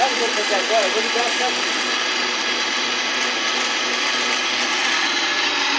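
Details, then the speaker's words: Old Miller spin dryer (centrifuge) wired with a jumper and a 25 capacitor. Steady, even whirring spin with no knocking or grinding; slow to stop when the lid is lifted, but runs well: normal spin. "demora para parar mas não tem problema se ela demorar para parar mas funcionar bem"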